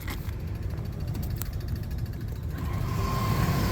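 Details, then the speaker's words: Rooftop exhaust fan: low uneven rumble with loose irregular shuddering, the whole unit shaking; blower assembly bad, probably full of grease. "oh yeah whole thing is shaking it's not good. It's probably full of grease."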